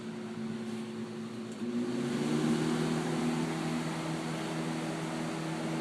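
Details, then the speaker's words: 1999 Lakewood 20-inch box fan model 200i, never cleaned, grills and blades thick with dust, on medium: steady low hum, quiet, slight bearing noise, weak air rush, moving far less air than usual even on low; reduced airflow from dust clogging. "some medium it's moving less here than they normally do on low like a lot less air"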